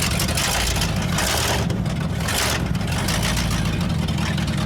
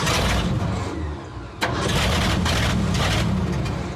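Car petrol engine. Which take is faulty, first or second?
second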